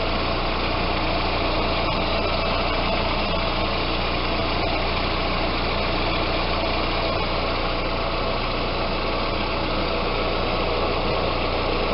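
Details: Audi A4 at idle after power steering fluid flush and change (low fluid had caused pump whine); now steady even idle, pump no longer whining.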